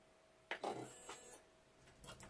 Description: Testing Nema 17 motors, checking the wiring, setting the voltages, crimping DuPont plugs and dry run with the Ramps 1.4